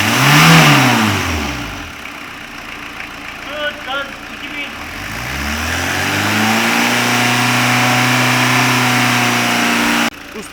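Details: 2003 Fiat Doblo 1.9 JTD diesel, 248,000 km, twice rebuilt, after missing exhaust manifold bolts were replaced, during oil-leak checks: revs up and settles to steady idle smoothly, no puffing or ticking; healthy.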